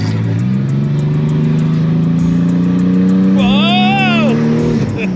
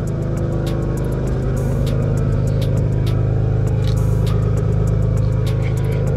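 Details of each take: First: Car with the exhaust cutout open, engine given some gas: a deep, loud, raspy, unmuffled drone climbing slowly in pitch under throttle. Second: Old car bought as a daily driver, idling with the hood up: steady, loud low drone with a rough, blatting pulse, far louder than a sound exhaust should be and smelling burnt; an exhaust leak is suspected but unconfirmed.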